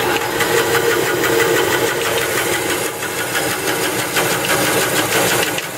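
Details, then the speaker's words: Jet 14-inch vertical band saw, 1 hp 230 V 3-phase, running: steady hiss with faint uneven ticking about three a second; blade rubbing the plastic table insert, gearbox also needs oil. "blade is hitting this plastic dive right here making that noise we hear about"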